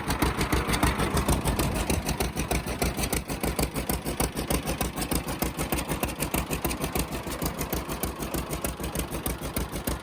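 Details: 1950 John Deere Model A two-cylinder, first run after about six years sitting: slow even pop about three per second with sharp puffing edge from small leak between exhaust manifold and pipe, to be fixed.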